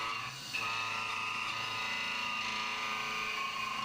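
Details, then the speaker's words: CNC main profile roughing of AR15 gas block at 1900 rpm, up to about 1/8 inch width of cut: steady high-pitched singing, end mill chatter especially in internal radiuses; better at 1700 rpm. "it's a little bit chattery especially in those internal uh radiuses"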